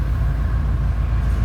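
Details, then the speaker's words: 1976 Chrysler New Yorker with a 440 V8, heard at the rear at idle. Deep, heavy rumble with steady loping pulses and no hiss; exhaust is loud, needs a muffler, which would quiet it. "It sounds like you'd expect a little bit of a rumble to it because, like I said, could use a muffler. You put a muffler on it, it's going to quiet this thing"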